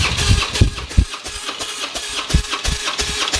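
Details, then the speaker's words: Harley-Davidson Twin Cam compression test, front cylinder, gauge fitted, neutral, full throttle, cranked up to 5 seconds: even cranking about 160 beats a minute with matched pulses; reads about 155 psi, healthy (stock spec 150–160 psi). "Give it full throttle. And you crank it for just like up to 5 seconds."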